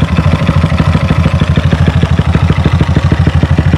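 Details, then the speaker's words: Motorcycle (Honda Future 125 / Wave 125i tagged) starts easily and gently; steady single-cylinder idle thumping with some extra clatter, a bit noisy, cause not stated; drive chain noted slack, needs tensioning. "Nak start senang je. Start gini je. Lembut je start. Dia bunyi bising sikit."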